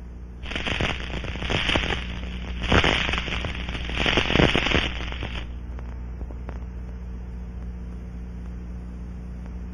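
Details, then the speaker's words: Aircraft fuel cell pressurized and coated with low surface tension liquid leak amplifier, heard through an ultrasound scanning module: bursts of fizzing crackle over a low steady hum as bubbles collapse at a small leak. "it forms bubbles that will collapse creating ultra sound detectable with the scanning module"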